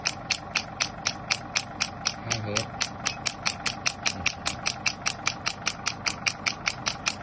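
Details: Shock wave therapy machine after repair; before repair it fired with no sound, air or force. Sharp, even pneumatic snaps about once per second over a faint hiss, each shot crisp and consistent: handpiece firing properly.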